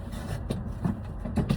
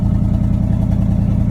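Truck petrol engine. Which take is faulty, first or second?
first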